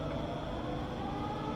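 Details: Rebuilt Bridgeport milling machine spindle running in low range, from about 60 up to 260 RPM. A smooth, quiet, even hum with no knocks or grinding; just as quiet in low range as in high.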